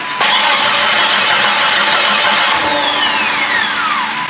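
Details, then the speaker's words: Jeep Grand Cherokee refreshed 4.0 with eBay turbo kit, first start attempt: starter turns the engine about four pulses a second but it never fires; fuel pump runs, owner finds no gas reaching it. Crank no start, fuel starvation. "Fuel pump goes. No gas. Alright, I'll be back."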